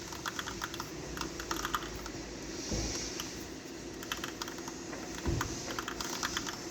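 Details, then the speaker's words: Car reported to make a loud clattering noise while driving, blamed elsewhere on the transmission or wheel bearing; right front wheel turned by hand gives sharp dry clicking bursts, traced to a worn inner CV (tripod) joint, not the bearing. "bu sesi duyuyorsunuz ve teker bilyasından yapmadığını buradaki akı körü iç akıs iç tarafında bir lale var bunun"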